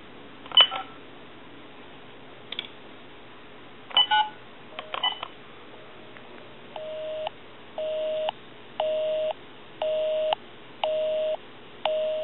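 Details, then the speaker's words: TA-1/PT military field telephone after repair and conversion, final checkout calling own number: crisp touch-tone digits, then steady busy tone pulsing about once a second; normal DTMF dialing and busy signal. "We're going to call my number, and it's going to be busy."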